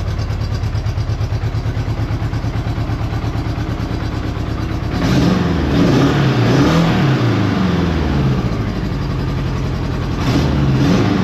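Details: Honda Goldwing GL1200 flat-four after cylinder gasket leak repair and spark confirmed on all coils; even steady idle then clean revs rising and falling smoothly, running a lot better on all four cylinders.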